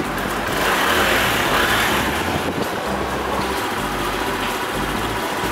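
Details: Honda CD90 Benly motorcycle with 6,380 km on it: steady, even putter at idle with no misses, knocks or rattles; the small single sounds healthy and settled.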